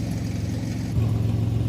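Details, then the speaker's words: 2003 Ford Explorer idling after a full rusty muffler replacement: settled, steady low idle with no exhaust blow or rattles, soft even rumble; sounds normal now, O2 sensors still to be replaced for check engine light. "It's settled down, right? Sounds normal now. No more noise, no more complications, no more disturbing the peace."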